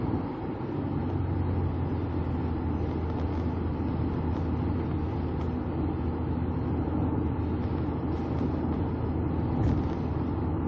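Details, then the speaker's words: 2011 Ford Edge Limited, 3.5 Duratec V6 with 330,000 miles, after front-end engine rebuild: steady highway cruise around 70 mph, smooth low engine rumble under road and tyre noise, no knocks or whines; normal. "wow up to 70. running good"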